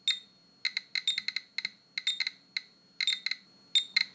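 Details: Geiger counter for environmental radiation, microphone flipped down, held close to the orange glaze of a 1930s ceramic bowl: dense irregular rapid clicks under a thin continuous high beep, the high-radiation alarm.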